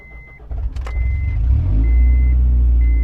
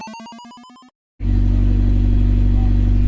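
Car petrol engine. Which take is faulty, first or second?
first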